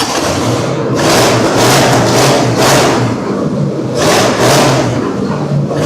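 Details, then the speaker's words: 1964 Pontiac Tempest convertible revving up and down on a splash of gas, held on throttle because it won't idle; giant vacuum leaks on the front and back found as the cause. "That's why I didn't want to idle. >> Why? Uh, it's amazing it ran at all. Look, giant vacuum leak on the front."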